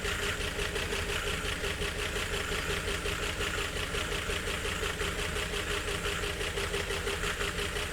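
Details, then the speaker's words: 1951 Chevrolet Fleetline six, makeshift carburetor controlling air only with throttle tied slightly open: lumpy idle around three pulses a second with a knocking undertone, not running on all six cylinders. "trying anyway. Nearly on on six. Wow. Well, it runs sort of."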